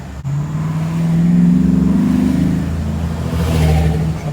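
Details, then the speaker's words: 2006 Dodge Ram 1500 Mega Cab on a test drive after three new universal joints, valve cover gaskets and 16 spark plugs: the engine climbs smoothly under load with no u-joint squeak, clunks or vibration. "test-drive is working out awesome you definitely cannot hear the squeaking of the u-joint when you kick off"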